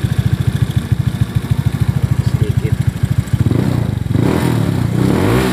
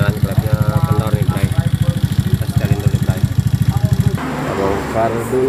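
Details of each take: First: Honda Beat FI injection scooter, previously noisy engine, after valve clearance set to standard: idles evenly, then revs up and down in repeated smooth blips with no ticking. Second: Honda Beat FI injection scooter, single cylinder, idling with noisy engine: fast even pulsing with light tapping on top; excessive valve clearance, fixed by adjusting valves to standard setting.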